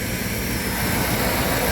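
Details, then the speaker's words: 1997 Dodge B3500 van with spongy brakes, first startup after replacing intake gaskets and refitting the distributor with a new cap: steady, even idle with no air hiss or whistle. The earlier vacuum leak is gone; normal idle. "oh yeah you don't hear that air anymore I'm going let it sit here and idle for a minute"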